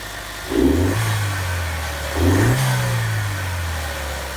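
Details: Chevy Cruze 1.4 turbo just after cold air intake install (new throttle-body pipe, MAF sensor reconnected): two quick cranks, then it catches, flares briefly and settles into a smooth, steady idle; normal, healthy start.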